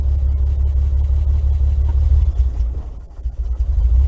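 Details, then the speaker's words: 1961 GMC K1500 4x4, sat 15 years, with newer carburetor, coil and electronic ignition, first gas while still cold: deep, uneven rumble that stumbles instead of rising cleanly; sounded better once warmed up. "Oh, that didn't sound good. Uh-oh."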